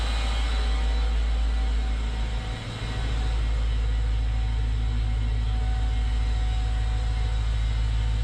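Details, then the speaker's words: Mercedes CLS55 AMG M113K supercharged V8 just after UPD billet idler pulley replacement, cold weather: very loud deep droning rumble persisting after warm-up; not from pulleys, owner suspects supercharger; loud engine noise. "anybody has any guesses that noise didn't go away after it warmed up um not sure what it was it didn't sound like it was coming from the pulleys maybe the supercharger"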